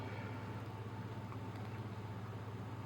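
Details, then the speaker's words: HCalory Toolbox Max portable diesel heater just powered on; fan kicks in, steady low hum and smooth even whir with no rattles or scraping, about 3 minutes before heat output; normal fan spin-up. "So you can hear the fan kick in, and it takes about 3 minutes for it to start blowing heat."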